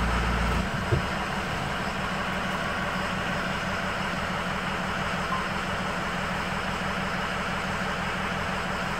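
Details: High idle on an engine with poor cylinder balance, cylinder 8 cut out: uneven, lumpy low pulse about three per second instead of a smooth hum, consistent with one dead cylinder; cylinder misfire.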